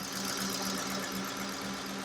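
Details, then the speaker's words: 2007 Ford Expedition EL with 5.4L Triton V8, after the bank 2 valve cover gasket replacement. Steady, even idle with a smooth low hum, no stumble; not misfiring, running pretty good; spilled oil burning off the exhaust; normal idle. "Sounds like she's running pretty good."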